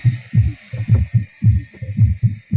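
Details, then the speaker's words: Darpan tower home theatre subwoofer after repair: earlier bass hummed and sounded cracked/distorted and the series bulb glowed; after the fix the bulb stays off and the bass plays clean, punchy thumps with no hum or distortion, normal bass output. "हमारा पुरी तरीके से दूर हो चुका है और sound भी अच्छे से आने लगी है"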